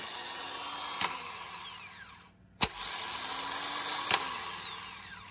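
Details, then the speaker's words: Starter bench-tested in a vise, key bypassed with a screwdriver; three bursts, each a snap as the gear throws out, a high whir and a falling spin-down. Starter passed the bench test; normal operation. "i want to make sure this cranks i'm bypassing the key with the screwdriver and when i do that take a look at the other end you can actually see the gear kicking out and the motor in"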